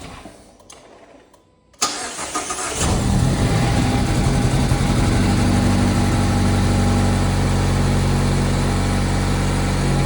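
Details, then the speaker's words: Mazda Miata ND2 after swapping in a lower-mileage replacement engine and transmission (old engine damaged when timing chain skipped), fuel primed first: short crank, quick catch, then a smooth, even idle with no ticks or knocks; healthy start. "that's very good news the car has started without an issue had to Prime the fuel a little bit engine sounds good though and it started quickly which I'm surprised"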